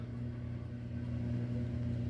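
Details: Lionel 226E prewar O gauge steam locomotive "pancake" motor: steady low buzzing hum from a dry phenolic armature bushing, fixed by oiling the bushing.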